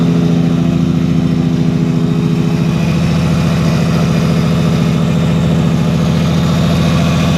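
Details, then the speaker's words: Nissan Skyline R33 freshly rebuilt engine (CP pistons 8.5:1, Eagle rods, GT3582R turbo, 740cc injectors, AEM ECU), first run in over a year: steady, even low rumble with smooth regular beat, no knocks or misses; healthy idle. "i'm just so excited with the fresh build just to hear it running and even if it's just idling it just sounds so good"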